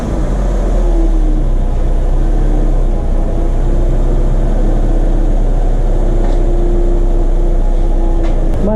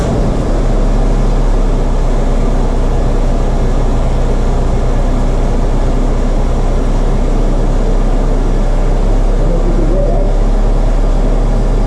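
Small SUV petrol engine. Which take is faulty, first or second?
second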